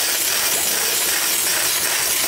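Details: New Rocket Espresso Stone espresso machine, just unpacked: strong, steady high-pitched steam wand hiss with no sputter or surging; full, healthy pressure.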